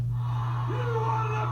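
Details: Custom AS-2518-32/-50 early Bally pinball sound board with WAV Trigger board, powering up: steady mains hum, then a short rising electronic tone as it boots and plays its start-up sound; normal power-up.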